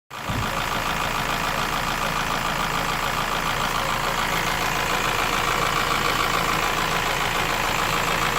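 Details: Honda S2000 AP1 engine: a dull, regular knock under the mechanical clatter that persists across the full rpm range, both cold and warm. Possible piston slap, unconfirmed.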